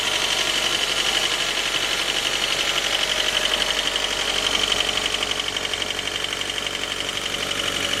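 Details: J20A engine, 2010, running cold: sharp steady knock about three times a second over the idle. Appeared around 10,000 km and seemed to worsen after oil changes; valves, compression and oil pressure normal. Cause: scored crankshaft journal, cylinder 3; short block replaced.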